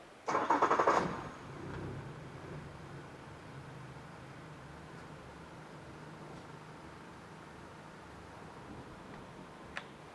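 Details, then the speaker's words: Traded-in freshwater 2014 Yamaha 70hp 20in remote outboard, shifted neutral/reverse then restarted: short crank, catches at once, quiet steady low idle; any rattle is the foam-filled fuel tank, not the engine. "Oh, that thing's quiet."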